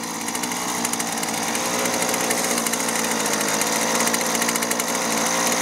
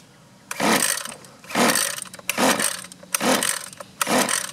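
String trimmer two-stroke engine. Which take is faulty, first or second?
second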